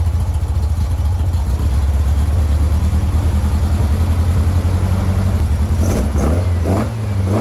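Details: 1956 VW Bug flat-four with twin replacement 40mm IDF/HPMX carbs, after fixing the fuel-leaking carb: steady even exhaust thrum with light throttle blip near end, pulling on all cylinders; best it has run lately, carbs and linkage still need syncing.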